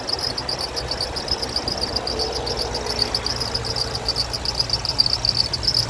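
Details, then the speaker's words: 2006 Toyota Tundra SR5 RWD, 4.7L V8 DOHC VVT-i, 5-speed automatic, 233,484 miles, hood open at idle: steady high squeal chirping about 2.5 times a second over a smooth, even V8 idle. Squeaky serpentine belt; no ticking or misfire heard. "Everything sounds good besides that squeaky belt down there. Don't hear any kind of uh ticking or doesn't seem like it's missing or anything."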